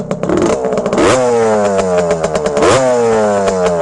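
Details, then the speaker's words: 1974 Suzuki TM125L Challenger two-stroke with RM internals, starts first kick: crisp revs blip up and drop back cleanly, no crank, rod noise or rattle; healthy, sweet-running engine. "That's absolutely the best sounding TM I have ever heard. This is the fastest TM I've ever ridden."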